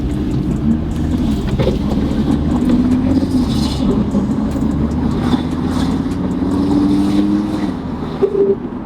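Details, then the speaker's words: Audi RS3 accelerating in Comfort mode: thin, metallic, tinny rattle in the exhaust note from the turbocharger wastegate, a rattle attributed to the turbo's design. "it's the metallic tinny noise off the exhaust that you can hear as you're accelerating"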